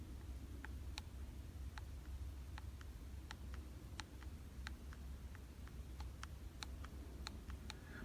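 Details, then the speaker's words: 2018 Daiwa Ryoga 1520 CC baitcasting reel. Sharp little clicks, roughly two a second and uneven, over a quiet low hum as the side plate rocks against the frame: a loose side plate, a structural frame-integrity problem. "side plate is rocking okay it is fixed over here and it's rocking back and forth like this okay and you can even hear the noise now that is a serious problem"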